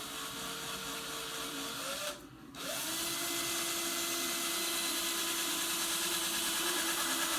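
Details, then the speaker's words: Drill-spun cue tip installed without a lathe, trimmed with a blade. Steady drill whine with a rhythmic scraping pulse each turn because the tip is not centered on the shaft, so one side hits harder. "That noise you're hearing, the wobble, is because it wasn't seated totally flat. Or sorry, centered on the shaft. So one side's hitting a little harder than as it spins around."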